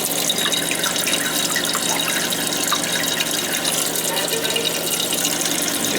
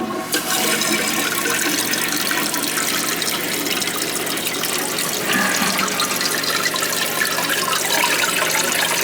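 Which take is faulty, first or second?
second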